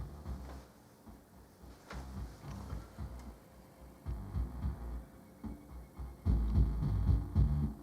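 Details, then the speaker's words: Aaron Sub-240 powered subwoofer amp with a 70 Hz test tone then music into a speaker; charred resistor found on board: bass notes come out rough and buzzy, breaking up harder as level rises; distorted amplifier output. "well I can hear the tone but it is it is distorted so let me kill that"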